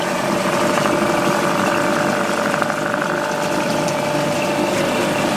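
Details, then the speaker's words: Small two-stroke outboard, sat many years, running in water before warming up: steady idle with splashing water, settling into an even beat and clearing up; normal idle. "Yeah, it's clearing up now."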